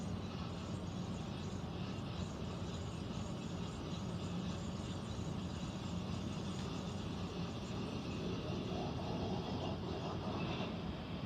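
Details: Central air conditioner air handler, heard in a bedroom and seeming to come from above the closet, gives a constant low rumble and hum with no clear rhythm; abnormal running noise, cause unknown, possible leak questioned.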